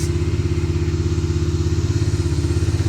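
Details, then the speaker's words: Bajaj Dominar 250 running after its dead battery was charged and refitted: steady, even single-cylinder idle with a regular low thump, no misses or knocks. No other fault. "വണ്ടി എടുക്കായിരുന്നു, battery down ആയി പോയതാണ് guys. വേറെ കുഴപ്പമൊന്നുമില്ലല്ലോ. Battery charge ചെയ്ത് കൊണ്ടുവച്ച് സ്റ്റാർട്ടായി."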